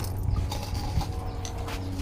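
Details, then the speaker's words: Yamaha Mio J fuel-injected scooter, dead for a week after running rough, battery freshly charged: a low, steady hum after key-on with handling thumps, the fuel pump priming normally; starter then fails and kick feels too light (suspected compression loss). "Demung apa enggak? Dengung ya. Oke, di fullpam dengung. Terdengar ya. Dengung."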